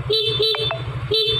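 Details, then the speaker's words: Fuel-injected motorcycle after battery replacement (was sputtering, no idle, warning light on): loud, clear two-tone horn, three short toots, strong steady pitch; horn loud again, battery was the fix. "klaksonnya bagus udah bagus kembali sudah keras kembali suaranya"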